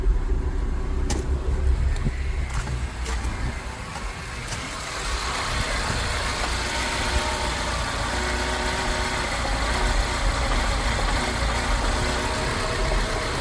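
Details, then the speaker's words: 2007 Mini Cooper S started from ice cold; uneven idle with irregular pops and stumbles, definitely popping and misfiring; the car came in running rough. "Definitely popping and missing."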